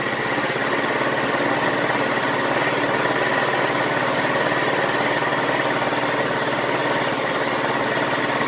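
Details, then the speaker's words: GY6 150cc scooter after replacing the faulty original carburetor with a new 24mm carb: steady, even, quick putter with no misses or knocks; smooth, healthy normal idle. "yeah okay this thing sounds good it's so smooth"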